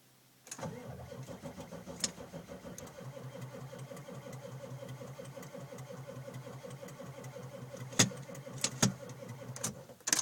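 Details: 1995 Ford F-350 dually, 7.3L Powerstroke with Banks Power Pac, rebuilt E4OD, cold, glow plugs run several times, dim lights: slow laboring crank about one beat a second without catching; hard cold start, cause not confirmed.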